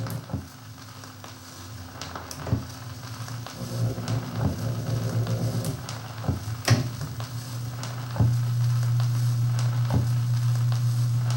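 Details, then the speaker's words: Thorens TD 165 belt-drive turntable playing: a steady low motor hum under surface clicks. The hum differs with speed, sounds like induction hum rather than rumble, and is picked up only when the stylus is on the record. "interesting it's a different hum depending on what speed it's on it's almost like it's an induction hum from the motor and not a [Music] rumble"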